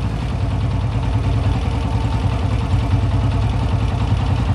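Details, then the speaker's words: Honda CG 125 single, after adjusting carburetor mixture screw and fixing jet air leak: slow, steady thump with even beats and no hiss or sucking at the intake; now holds a slow, clean, normal idle. "अब बिल्कुल गाड़ी start slow भी खड़ी है और जो सास वगैरह है वो भी नहीं ले रही"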